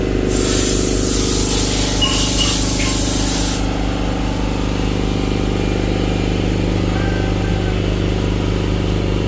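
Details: Cummins ISX15 diesel with a turbo stuck closed: a strong hissing spray over a low idle that stops, leaving a heavy laboring drone; there is no power and the engine dies after running briefly.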